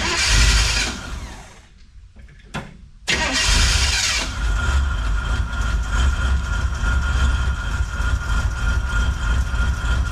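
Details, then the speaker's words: 1963 Chevrolet Impala, start attempt before a test drive; sluggish crank, a brief catch, a stumble to near silence, then a second try fires into a rough idle; owner suspects the battery is a little low. "Barely, but it's running. Nope, didn't make it. Try it again. Ooh, battery might be a little low."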